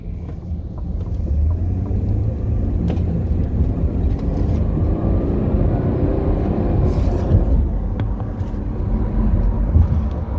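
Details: 2008 Dodge Grand Caravan driving: low, rough grinding growl under road rumble, rising and falling with speed. It persisted after replacing the right drive axle; owner suspects transmission differential bearings.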